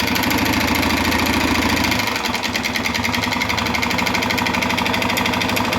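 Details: 2011 Honda Fan 125 motorcycle idling with a loud, rapid, uneven clattering rattle from the engine; on teardown of head and cylinder, the cylinder and piston were found worn from lack of engine oil.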